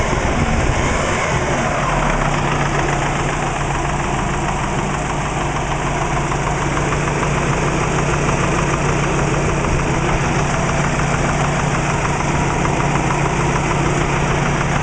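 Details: Subaru Legacy flat-four with WRX engine at idle, light uneven knocking over a low steady drone; owner suspects piston slap, not confirmed.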